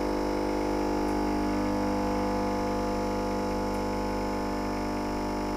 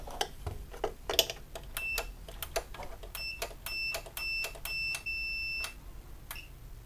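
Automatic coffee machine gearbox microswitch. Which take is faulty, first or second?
second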